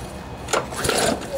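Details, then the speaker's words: Briggs & Stratton lawnmower engine after hitting something hard, bent blade already replaced: rope pull feels stiff, brief whirr with no firing; won't start, likely sheared flywheel key throwing timing off, key replaced afterwards. "doesn't seem like it wants to do anything um I think what happened uh when you find a blade that bent what most likely happened was that it sheared the flywheel key"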